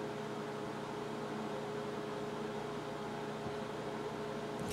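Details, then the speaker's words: 2004 Avid AirSpeed broadcast video recorder with an Intel Xeon 2.8 GHz: steady loud fan roar with a fixed hum tone; the BIOS has no fan control, so the fans run at full speed constantly. "I went into the BIOS and this thing once to see if I could slow the fans down and there's no option for it the fans just run full tail all the time"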